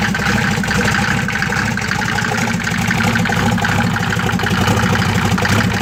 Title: 93 om602 mercedes rough idle